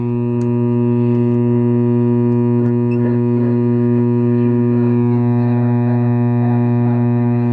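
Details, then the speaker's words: Old Lafayette tube radio at power-up: loud, steady low hum with buzzy edge, unchanging as set warms up; bad filter capacitor, otherwise radio works. "Oh, yes. Oh, hell yes. We got a bad filter capacitor."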